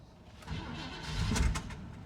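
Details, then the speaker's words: 1972 Chevy C20 truck, long parked, never drivable, with a hot-wired electric fuel pump: on the first crank it catches and stumbles, then gives a few sharp backfire pops as it fires. Owner thinks it is flooded. "oh got some backfire on it fired though oh i think we're flooded that's probably why"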